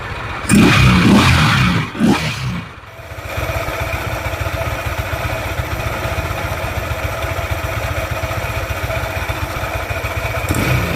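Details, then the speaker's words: Yamaha NMAX scooter idling with CVT roller housing and pulleys removed: rough steady clatter about four beats a second persists, so cause is not the CVT; suspected crankshaft or engine block internals, not confirmed. "the sound is still rough, which means the main cause of the roughness is not the CVT part, but the side of the crankshaft or the blog part"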